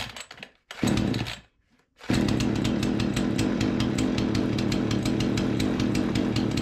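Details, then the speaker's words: Remington 46cc chainsaw after carburettor cleaned and refitted, test fire at 42°, primed and choked: a few sputters and a pause, then catches and holds a steady even buzz, no stumbling; before any mixture adjustment; normal running. "off all right she fired up up let me grab some adjustment tools and we'll see if we can get this thing if it needs any kind of adjustment"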